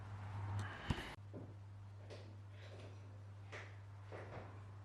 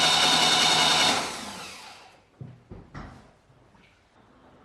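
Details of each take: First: Saab 900 Classic, first start after years of sitting, following a Zenith/Stromberg CD175 carburetor rebuild, fuel tank cleaning and float bowl pre-fill: the engine catches and roars loud and ragged without settling into an idle. It starts smoky, and the owner suspects the timing. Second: Saab 900 Classic after years of sitting, first starter test after starter revision and new starter wiring loom: steady high whir for about a second, then smooth spin-down with no grinding; starter turns freely and sounds healthy.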